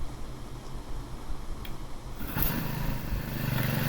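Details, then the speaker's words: Troy-Bilt TB465SS two-stroke string trimmer, about 13 years old, that stalled at idle and when given throttle, after a new carburetor: catches after a couple of pulls and settles into a steady, clean buzzing idle; normal start. "right so it's started I'm gonna duct over in the on position before this died here too and now on he died three and he's again here it runs perfectly so the job is successful"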